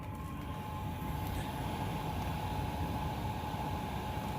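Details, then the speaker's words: Chinese diesel heater mounted in a box, just switched off: glow plug back on, fan ramping up, low steady rumble with thin whine as the chamber heats to burn off residue; normal couple-minute shutdown purge. "amps are starting to climb again here so it's burn chamber is heating right up so it can burn off any residue that's sitting around this doesn't take very long this only takes a couple of minutes"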